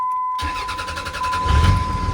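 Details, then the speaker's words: 2003 Dodge Ram 3500 Cummins turbo diesel, 559,000 miles, with new starter: brisk even cranking turns, catches within about a second and settles into steady idle; healthy start, "what a dream". "Oh yeah. What a dream. Sweet."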